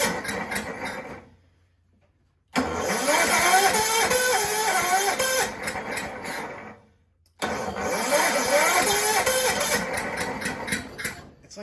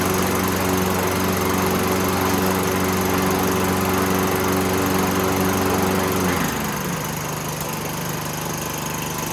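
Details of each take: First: Toro 6.5 hp Recycler push mower found roadside, premix dribbled into throat, plug swapped: catches and sputters a few seconds, dies, catches again, won't keep running; low compression felt. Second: Toro 6.5 hp Recycler push mower, roadside find, fuel tank cleaned and refuelled: runs smooth and even at speed, then settles to lower steady note without missing; healthy running.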